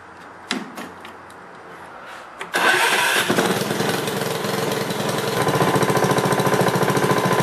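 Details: Honda HRX 217 lawnmower, electric start test after replacing starter battery: short starter whir, engine fires at once and runs at an even, steady beat with no misses; normal start and running.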